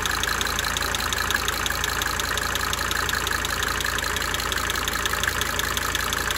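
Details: 1992 Mercedes-Benz 300D 2.5 turbo diesel idling with light sharp injector ticking a few times a second, coming and going cyclically.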